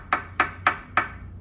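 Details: Harley-Davidson Roadster over bumps: four sharp metallic knocks, about three a second, from the fuel tank striking the frame because it has no rubber mounts, not the suspension or a loose brake caliper as first suspected.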